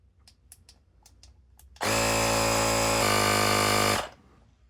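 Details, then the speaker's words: Clik Valve on a bike tire after cleaning out a tubeless-sealant clog, pumping toward the usual 19 lbs. A steady buzzing hum rises slightly in pitch as pressure builds, then stops cleanly. The pressure held with no leak heard, so the repair seems to have worked. "There. Kept the right pressure. I don't hear any leaking. So, I think that repair actually worked."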